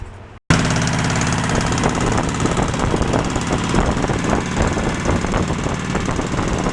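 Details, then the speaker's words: Craftsman riding tractor twin-cylinder engine with a plug wire test: loud lumpy uneven chuffing at idle with an irregular beat, running on one cylinder only while the other does nothing; misfire, cause unconfirmed, compression feared. "correctly so it's only running on one cylinder this cylinder is not doing anything"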